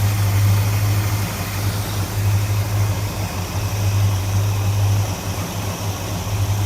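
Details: Dodge Super Bee with a rebuilt 383 V8, cold start after a starter solenoid repair, with the carburetor metering rod springs removed and capped: deep, steady rumble at idle with a slight lope and no knocks or misses. Normal cold idle.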